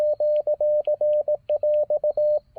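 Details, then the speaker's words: Morse keyer sidetone during a QRP field activation on a KM4ACK 40-meter end-fed half-wave antenna: steady mid-pitch tone keys cleanly, then drops out after the last characters, leaving hiss; owner suspects RF getting into the keyer, not confirmed. "yep did you hear that it did like a die at the end of that and i'm not sure why it did that"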